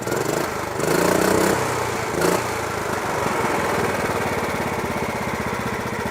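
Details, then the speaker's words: Riding lawn mower after carburetor cleaned and rebuilt with new gaskets and seals (previously wouldn't idle, backfired): small single-cylinder engine ticks over at even, steady idle after brief rev, no hunting or surging, no fuel leaking; normal idle. "take a look there's no fuel leaking it's idling okay before it wouldn't idle it would just"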